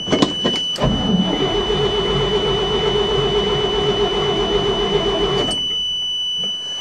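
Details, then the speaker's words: 1979 Chevrolet dump truck with a 427, in winter 2008, first start since June, with new plugs and starter, a little choke, in neutral: the starter whirs steadily for about four seconds and the engine turns but never fires; no fuel pump is heard, and the owner suspects the pump dislikes the cold. "i don't think that fuel pump likes the cold damn it"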